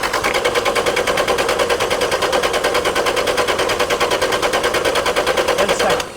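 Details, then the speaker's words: 1999 Toyota Tacoma with random misfire and P0305, spark present at cylinder 5, cranked with pedal floored, mic on engine: steady, evenly spaced chuff with no weak beats; compression is fine, single-cylinder misfire suspected. "You will agree that is not a compression problem."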